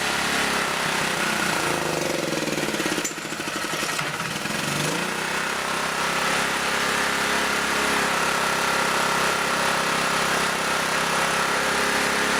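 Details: Auction generator at no load, low on gas, being set to a little over 60 cycles: fast buzzing, sags briefly, then surges back high; speed too high with the idle stop screw fully in.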